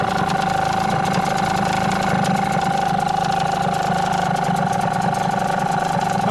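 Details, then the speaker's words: Hangkai T6 6hp two-stroke outboard on its first-ever start, in water on a cold morning: small burbling at a fast, slightly uneven idle with a buzz, running rich and rough on choke while warming up. "Let's just set that back to idle. It's choking a little bit. See warm through a little bit."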